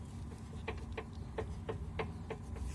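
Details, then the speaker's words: Renault Fluence front end rocked by hand: sharp knocks at about three per second, one per push; a loose clunk in the steering, owner suspects the rack or the tie rod/end under the boot, not confirmed. "атаю вот так такое ощущение что стук в рейке если беру колесо и Шатаюсь стороны в сторону небольшой штучек тоже есть где-то вот под пыльником где-то там то есть наконечник сам по себе стучит как бы на отбоя вправо влево"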